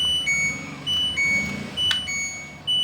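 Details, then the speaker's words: LG Direct Drive front-loading washer after control module repair/modification for hard-to-start fault: short clean high beeps about one per second with each click of the program knob; rotary selector and touchscreen work normally. "Untuk rotary normal, untuk touchscreen, nah, touchscreen tidak ada masalah."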